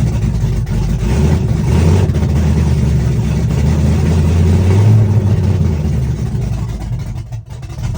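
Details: Chevrolet S-10, first cold start of the day, open headers, Holley red electric fuel pump, cam about .480/.488 exhaust lift, ~297° advertised duration: loud, choppy uneven lope with heavy low exhaust thump, steady; normal big-cam idle.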